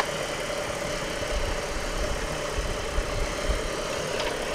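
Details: Crash-damaged 2007 Ford Falcon BF Mk2 automatic ute idling, front end stripped: irregular low knocking thuds under steady hum, felt through steering; belt damaged in crash, idler pulley shaking; owner suspects power steering pump or belt.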